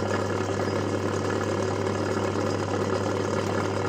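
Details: Motor starting and stopping: a steady loud drone with a coarse, rough growl and no clean hum, suggesting a dry, worn motor bearing.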